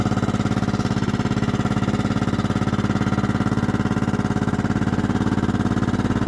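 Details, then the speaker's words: 1998 Kohler Command 16hp riding mower, a slight oil burner, cold after sitting since July of last year and smoking: single cylinder thumping at a steady fast beat with a hard, clanky edge on each stroke. Cold engine clatter that owner expects to quiet once warm. "you can hear she's kind of clanky it does that when it's cold and or it's been sitting a while so we'll let it warm up get some oil moving through and it should quiet down"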